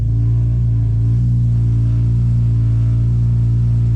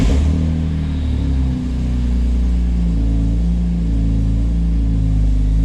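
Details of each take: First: BMW S54, cold start idling at about 1100 rpm, before the dual section 1 exhaust mod: deep, steady droning vibration as the exhaust rubs on the transmission tunnel; there is also an unlocated exhaust leak. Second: BMW S54 engine, lukewarm, first start after the dual Section 1 resonator-delete exhaust mod, heard from about 20 feet away: deep, steady idle drone with no rasp or rattle. Healthy exhaust, seemingly quieter than before.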